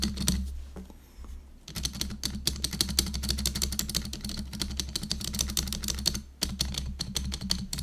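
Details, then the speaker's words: GoPolar TKL keyboard during stabilizer repair: rapid typing clicks with a loose, hollow clatter on heavier strokes; space bar rattles with three different space bars, as the original stabilizer stems seem factory-damaged and too small, later replaced. "so that's why no matter which space bar I try like three different ones and they all rattle"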